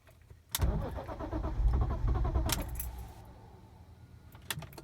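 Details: 2003.5 BMW E46 M3 coupe, 6-speed manual, 157k miles, cool morning (about 40–50°F) after fuel pump prime, new battery, good starter and alternator: strong, even cranking for about two seconds but no fire; crank no start, then starts on second try.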